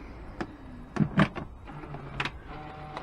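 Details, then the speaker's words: Range Rover L405 lower tailgate: a short motor whir broken by irregular clicks as the tailgate stalls partway and fails to close; the lower tailgate actuator is suspected and will be inspected or lubricated. "the usual problem with this sometimes it comes down and sometimes it doesn't and if we put this up independently you'll notice that stops and you this clicking sound again so you hear that click"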